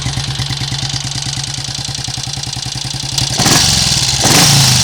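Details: Triumph Sports Cub single-cylinder project bike, warm (run 10 minutes earlier), carburetor untouched, now more inclined to tick over; wet-sumps overnight with brief startup smoke; even thump about three and a half beats a second, two clean throttle blips; mechanically healthy.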